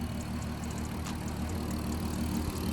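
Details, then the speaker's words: Mk5 VW Golf R32 VR6 turbo conversion after intake, MAF and wastegate/dump valve lines were fitted: steady even idle with smooth low rumble and light injector ticking, running lovely and healthy. "so yeah it seems to be running lovely when they're doing it"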